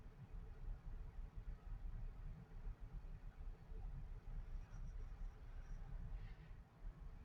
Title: Ol Bessie won't start with or w/o a jump